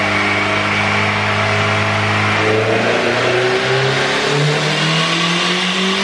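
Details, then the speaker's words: eBay turbo Honda B18C GSR pulling under load: the rising revs are broken up by a choppy, stuttering misfire. Fuel and ignition timing changes didn't cure it; a VTEC or oil pressure issue is suspected. "So I think we have a VTEC issue, oil pressure, something like that, because it's just stuttering really bad."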